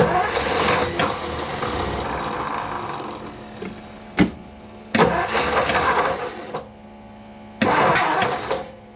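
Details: 1959 Ford Fairlane 500 during a tune-up, just restarted after coil hookup, carburetor still not right: engine coughs and stumbles in uneven bursts, never settling to a steady idle; owner suspects plug wires in the wrong firing order causing misfire.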